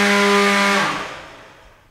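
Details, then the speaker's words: Beetleweight combat robot weapon on belt-and-pulley drive at second-highest belt tension, zero to full power: clean steady high whine, smooth spin-down with no rattle or wobble; normal weapon spin. "that sounds really nice just for grins it feels pretty stable"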